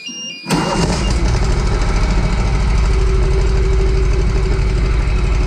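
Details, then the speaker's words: 2003 Walker MT riding mower after replacing idler pulleys and transfer shaft bearings: engine catches after brief crank and runs steady and even with no squeal or rumble; much quieter than before. "Well, take my word for it. It was much quieter this time than it was before."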